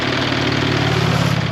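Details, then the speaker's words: 6-ton truck diesel, 427,000 km, oil checked before start, idling: deep steady clatter with even rhythm, no misses, knocks, funny noises or visible smoke; normal idle. "let's see if we' got any smoke look at that guys no funny noises or anything let's see how she [Music] runs"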